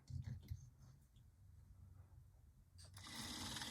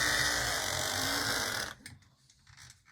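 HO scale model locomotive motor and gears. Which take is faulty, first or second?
first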